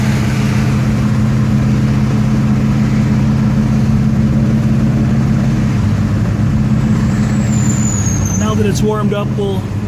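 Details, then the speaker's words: 1969 Pontiac GTO, 4-speed with probably 3.55 gearing, new suspension, heard on test drive: steady deep V8 burble, even firing with no knocks or misses, some road noise; a muffler may rattle on hard take-off; car runs very nice, normal running. "car runs very nice"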